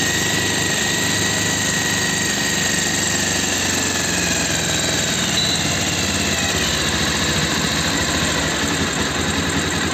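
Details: Bajaj Pulsar 220F after carburettor setting to fix missing at low rpm: steady, even idle with smooth buzzy exhaust note, no stumbling or hunting; engine running cleanly and settled.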